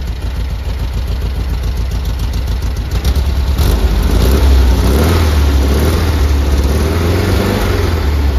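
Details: 1973 VW Squareback flat-four after rebuild, worn carbs: even low chuff at idle, steady beat with slight blip midway, no stumble or missing cylinders; normal idle.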